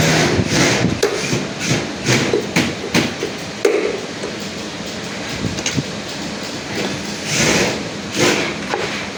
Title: auto washing machine bearing problem